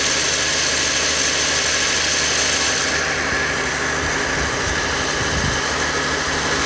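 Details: 2020 Jeep Grand Cherokee 3.6 V6 after new serpentine belt fitted; steady even idle hum, no squeal, chirp or slap from belt drive. Normal idle.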